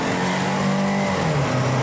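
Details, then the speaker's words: Test drive under throttle; engine pulls cleanly and pitch drops sharply on a gear change with no flare or slip, transmission shifting normally. "nice. Honestly, doesn't slip. Transmission is good."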